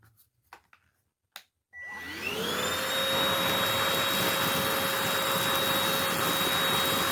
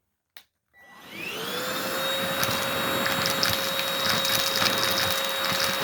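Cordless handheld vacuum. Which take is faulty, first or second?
second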